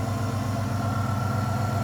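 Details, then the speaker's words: A 2000 Ford Explorer XLT 5.0 V8 with a Meziere WP374 electric water pump, after the idler assembly was replaced and a slightly longer belt fitted. It gives a smooth, even idle with no squeal or rattle and is much quieter than before. "much much quieter"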